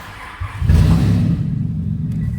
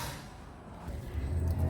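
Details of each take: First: Nissan Elgrand E51 3.5L V6 with about 195,000 indicated: a loud, raw, deep blatting note swells on a rev, sounding like open headers. The catalytic converter pipe had sheared completely in two, a severe exhaust leak. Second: Nissan Elgrand E51 3.5L V6, about 195,000 indicated, after emergency weld repair of the sheared catalytic converter pipe and flange, reassembled with shield back on: soft, even low exhaust rumble, no puffing, ticking or blowing; quiet, sealed.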